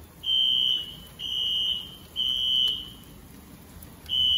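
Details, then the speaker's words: Apartment building fire alarm heard indoors as fire department approaches; piercing high-pitched tone bursts repeating roughly every second over a quiet room; evacuation signal, caused by an issue with a first-floor pull station. "I don't know if I want to leave the building or not, but that noise is driving me nuts."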